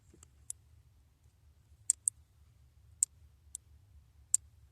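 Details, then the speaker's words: 2017 Infiniti Q60 with an intermittent no-start, relay reinserted with the key on: sharp, irregular relay clicks, about seven in five seconds, over a quiet hum while the voltage does not drop; cause not yet found. "And it's actually clicking right now. The voltage doesn't drop."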